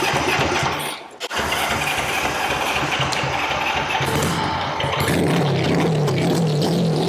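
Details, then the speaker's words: Honda CB77 Superhawk 305 twin, first start after years stored, spark and fuel confirmed, oil level full: busy, uneven clatter over exhaust with faint drone; mechanical racket, source not yet found. "it's making some kind of Racket over here let me see what that is"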